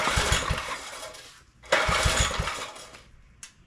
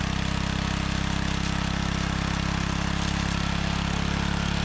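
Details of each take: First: Neglected John Deere tiller being revived, choke in use: small putters in short uneven bursts that die away and catch again while the idle screw is adjusted. The governor is judged fine. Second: Restored John Deere 3 hp tiller on test: steady, even low putter with no misses, knocks or grinding; the engine runs smoothly.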